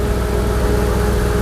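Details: 2009 Ram 1500 idling after drive belt and tensioner replacement, checking belt alignment and vibration: a steady, even low rumble with no knocks, ticks or belt chirp. Healthy idle.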